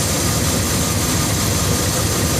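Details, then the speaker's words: 1998 Dodge Ram 1500 after water pump replacement, first start: smooth, even idle with steady low rumble and no knocks, ticks or squeals, no leaks; normal idle. "Here we go, look at that. She's purring like a cat. No leaks."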